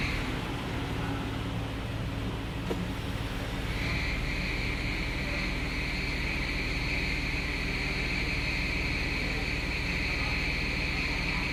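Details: Jeep JK 3.8 automatic, 30,000 km, cold engine at idle: steady high-pitched whine over low rumble, persists in D or R, sometimes N; belt tensioner and serpentine belt replaced, still whines without belt, cause unknown.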